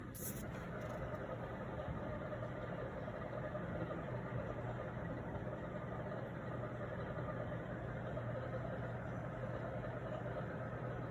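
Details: Brand-new Mitsubishi mini split with added condensate pump (fitted for water leaking down wall): pump runs constantly, steady low buzzing hum with rough rattle, awful loud noise awaiting installer fix.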